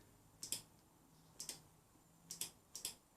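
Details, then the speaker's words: Triumph Bonneville whose starter motor turned with the ignition alone on; starter solenoid earths disconnected, battery just over 12 V: crisp double clicks each time the start button is pressed, so the starter relay is switching and the switchgear end seems fine. "Yeah, so alright, so that kind of, we'll click in there as well on the start button."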